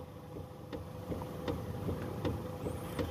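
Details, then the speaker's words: 2014 Toyota Harrier with tilt/telescopic steering, car stationary, wheel being turned: sharp light ticks about two and a half per second from the upper column, also loud over rough roads; upper steering column damper crushed, replaced. "jelas ya tek tek jadi bunyi itu yang muncul kalau mobil lewat jalan jelek bunyinya nyaring"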